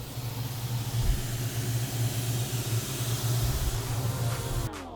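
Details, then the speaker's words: 2003 Mustang with a built 5.0 V8, idling with the PCV inlet air leak temporarily plugged using a zip tie and electrical tape: a deep, even V8 burble holds steady without hunting or dips. It runs far more stable, though it is not a real fix. "With the PCV inlet plugged up using a zip tie and electrical tape, the car was running way more stable."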